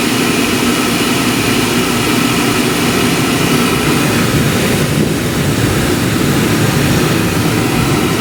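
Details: New Rheem oil furnace, one year old, after annual cleaning with gasket added to door, fired up: steady roaring burner rush with even low rumble, no pulsing or surges; normal burner operation.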